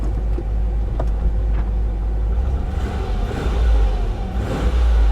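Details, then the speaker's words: V6 G6 salvage car that sat a very long time, warming up: a deep, even rumble that swells smoothly with throttle and settles back without misses or knocks. Runs very well; normal engine revving. "really does run very well but at the end of the day I know better"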